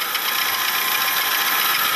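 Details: Worn bearing suspected, not confirmed, on a car showing a floor-polisher-like noise: steady hiss with faint high whine and gritty grinding running evenly over the engine; bearing replacement planned.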